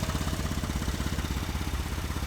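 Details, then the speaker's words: 2014 Ford Transit 3.5 after replacing a failed aftermarket belt tensioner, running 30+ minutes warm: smooth even idle, no squeal, chirp or rattle from the belt drive; the tensioner was the cause. "It's been running for about maybe 30 minutes now or more. I turn it off, on and off. No noise. So, it was the tensioner."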